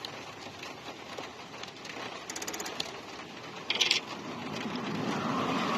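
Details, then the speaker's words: Infiniti Q45, quiet cabin: short bursts of fast machine-gun clicking from the ABS unit, which stopped when the ABS fuse was pulled; owner suspected a short affecting other circuits, cause unconfirmed. "Something ABS related, I suspect. That was so weird. Where it's just clicking like crazy, and I took the fuse out and it went away."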